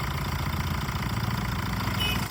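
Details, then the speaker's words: Used diesel car idling after start during pre-purchase check: even diesel clatter with steady firing pulses, no misses or knocks; healthy engine sound quality. "இந்த இன்ஜினோட sound பாருங்க எவ்வளவு குவாலிட்டியா இருக்குன்னு."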